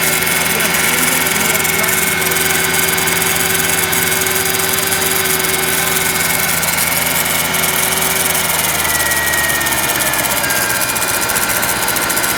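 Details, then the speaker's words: 2005 Mercedes S500, after an alternator and starter replacement, front of engine at idle: coarse, rough grinding with a faint whine, new since the repair; owner suspects the water pump, unconfirmed. "now I'm getting this grinding noise coming from this area right here I think this is the water pump hose"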